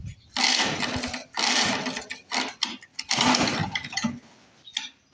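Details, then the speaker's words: Lawn Boy Mag 21 mower left unused about 15 years, after revival work: four recoil pulls, each a second-long whirr with no firing; cranks but won't start. Coil, flywheel and spark plug confirmed good; owner fears it's finished. "I think this one's going to have to go to the Lawn Boy Parts Boneyard because she should have lit by now."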